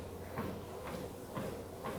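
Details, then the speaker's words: Wellfit TM029 compact treadmill walking at 3 mph: low, even motor hum under soft footfalls about twice a second, with no knocking or grinding. The motor is fairly quiet with little foot noise; normal running. "The motor sounds fairly quiet. There's not too much foot noise."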